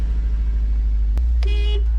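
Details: JDM car with 123,000 km and a low battery starts up, then holds a low, even rumble at idle with no knocks or misses, apart from a short horn toot; normal idle.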